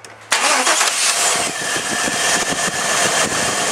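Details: 1998 Chevy Tahoe 350, no-start no-spark, with a used ignition control module loosely hooked up: cranks briefly, catches at once, settles into steady even idle without misses or knocks; faulty module suspected.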